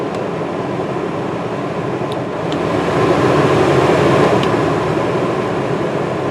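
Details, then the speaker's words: New Duromax XP2000EH dual-fuel inverter generator, after 5-hour break-in, powering a truck camper RV air conditioner on low then high cool: steady even hum firming slightly on high cool, no surging or hunting. Normal running under load. "So we're on low cool. High cool. So far so good. So no problems with the AC."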